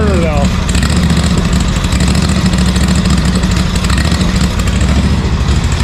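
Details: ZT200 mower with newly fitted replacement engine and new starter solenoid: turns over and catches unevenly, rough low chugging that stumbles and won't settle; fuel starvation from a shut fuel valve, engine won't stay running.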